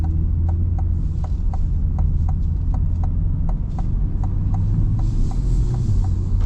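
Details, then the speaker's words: 2024 Chevrolet Corvette C8 Stingray, owned 3 months, driving with roof off at 56°F: steady light tick about four a second over engine hum from the right side; owner suspects an exhaust or manifold leak, unconfirmed. "what is up with the ticking noise in my car right is that normal C8 I've only had the car 3 months the radio is usually on I never really noticed it until today driving around but it was a constant like ticking like either an exhaust leak or manifold leak"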